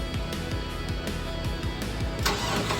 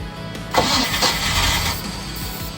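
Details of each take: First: Mercruiser 305 V8 in a 1995 31-foot Silverton yacht, starboard engine, during rebuild: brief crank, then catches and settles into a steady low rumble; clean, healthy start. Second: Mercruiser 305 engine in a 1995 31-foot Silverton yacht, long unused, after an oil and filter change, with water found in the engine. It cranks in an even churning rhythm but never fires: crank-no-start. The owner suspects old fuel or the fuel pump.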